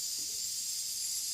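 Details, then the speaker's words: Pressure canner almost at zero pressure after canning: steady high hiss of residual steam still venting before the lid can be removed. "So my pressure has almost gone down. Giving you a close-up. You can still hear the steam from it."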